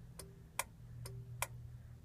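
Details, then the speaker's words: Sentinel 3 controller on a Gillette 40 kW generator in auto mode, start wires jumpered: sharp relay clicks in pairs over an electrical hum, but the engine never cranks. Banging the unit shows something loose inside; the cause was a bad relay and a vibration-worn toggle switch. "can hear that relay inside the controller it should make the auto start Arrow icon appear and the unit should try to start now"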